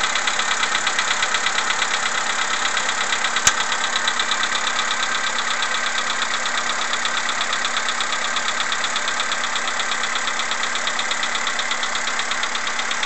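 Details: CFNA engine at cold morning idle: fast, fairly even tick, nearly three a second, riding over the engine; piston knock suspected when cold, not confirmed.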